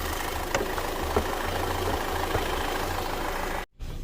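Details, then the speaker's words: Audi/Volkswagen on a drive, with a rough, uneven, lumpy low drone that sounds like a diesel at low end, plus occasional knocks; the EPC light comes on around 1500 rpm under throttle, and a sensor is suspected. "it sounds like a diesel you're just on the low end"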